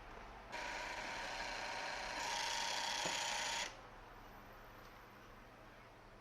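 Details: PlayStation 2 slim before repair, strange sound from the laser motor: a whirring hiss rises and steps up for about three seconds, then drops away. Abnormal disc drive motor noise.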